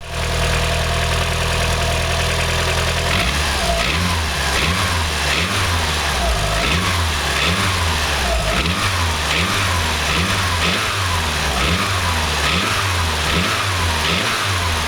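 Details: Mitsubishi 4G63 Mivec 2.3-litre petrol engine idling, then blipped repeatedly, with a hollow knock riding under the revs. It sounds like piston slap, but the cause was never found.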